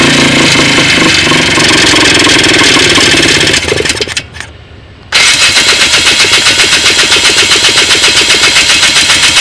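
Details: Polaris small engine running loud and rough with a misfire: it briefly nearly dies, then runs on with a rhythmic stumble.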